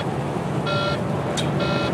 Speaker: sounds like a pterodactyl in my head making its noise if you can't tell i'm kind of losing it sort of like having a two-year-old in the back seat going why why why why really